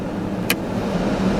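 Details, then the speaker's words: 1991 Ford F-150 after blower motor and resistor control module replacement, blower on high speed gives an even, steady rush of air with a smooth hum and no squeal, scrape or rattle; normal operation. "working and there's our high speed so that's a successful"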